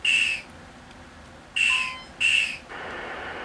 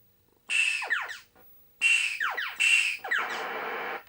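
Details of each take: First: 1980 Midway Space Invaders Deluxe sound board after replacing all sockets and amps; three short shrill warbling bursts then a flat hiss. The invader hit sound is still wrong, while the saucer hit sound now works. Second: 1980 Midway Space Invaders Deluxe PCB after repair of a no-video fault by replacing a 0.22 µF cap pulled out by a bad solder joint: clean swooping chirps and hissing explosion, all effects present, no dropouts. Normal sound effects.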